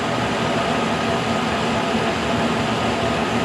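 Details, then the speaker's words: K&T mill first cuts on mild steel with a resharpened endmill, light cut, cold morning in the 20s, head not trammed: smooth steady whirring with faint even cutting hiss, no chatter or grinding; normal cutting. "here we go first cuts look at that no problem man I can barely even hear it"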